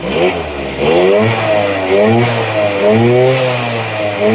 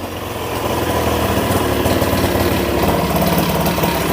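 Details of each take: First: Honda Vision Met-in 50cc (1988) two-stroke scooter, kick-started after carb removal and cleaning, high idle being adjusted: crisp buzz rising and falling cleanly through repeated blips to high revs without bogging; normal revving. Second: 1988 Honda Vision Met-in 50cc (SA50) two-stroke scooter after a carburetor clean: buzzy idle that climbs and holds a bit too fast; the idle should sit a little lower.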